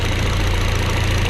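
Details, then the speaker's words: VW MK4 1.8T after stage 2 ignition tune-up with 2.0T coil pack conversion, second coil pair bought secondhand: steady, even low idle rumble, no stumbles, no check engine light or misfires; chatter heard is the throwout bearing. "It's running pretty smooth right now. I can't say that I feel a difference from before. There's no check engine light popping up. Doesn't sound like any misfiring"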